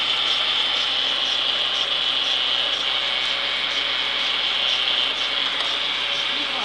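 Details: Renault Clio in neutral: light, dry metallic chatter over the idle that stops when the clutch pedal is pressed and returns on release, worse with speed; gearbox rattle, owner unsure whether gearbox or clutch.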